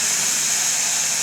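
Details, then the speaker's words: GM 6L80E/6L90E transmission on the bench during an air test after rebuild: steady loud hiss of air leaking past brand-new but faulty clutch drum sealing rings, weak apply, noise persists even when the drum is spun to seat them. "See that air noise coming right out of here. Now I'm going to spin this. See if these rings seat. I don't care what I do with these rings, the noise is still coming."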